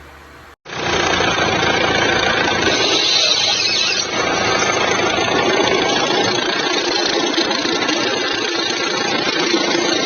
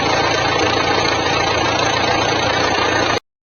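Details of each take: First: Jeep Compass 2.0 diesel idling: rough, fast rattling chatter from the front accessory drive. The alternator bench-tested without noise, so the alternator overrunning pulley was replaced, risking it wasn't the cause; before-and-after recording. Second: Jeep Compass 2.0 diesel, also Toro/Renegade, after replacing a belt pulley instead of the alternator (which benched fine): steady even idle clatter, strange noise gone, no whine, squeal or rattle from belt drive.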